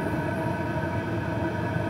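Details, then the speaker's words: PH21A 2 kW 12 V diesel parking air heater running with glow pin switched off, flame self-sustaining: steady, even burner and exhaust rush and hum, no stumbling; normal operation. "so now the glow pin is switched off and now any again any new fuel that's coming into the heater is being ignited by the existing flame"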